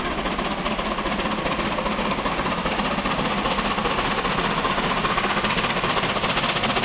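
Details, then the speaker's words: Taw Valley steam locomotive climbing Whitley Bank with the Orient Express, second valve of regulator, 50% cutoff; heavy, even chuffing about 2.5 beats a second, working hard and sounding healthy. "we could certainly hear that the engine working hard but sounding good i mean coming up from whitney bank everyone likes that"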